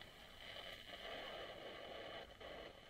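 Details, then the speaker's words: Bush AU31D tube record player amplifier powered up on a variac for guitar-amp conversion: steady quiet fizzing crackle like frying, no rhythm; one tube heater possibly not lit, leaky capacitors suspected, cause unconfirmed. "now I can see the heat is in one which I don't see the heat is in the other wow I've got some frying"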